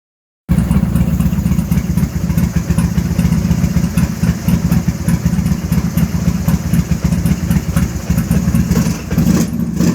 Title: rough idle, carb popping off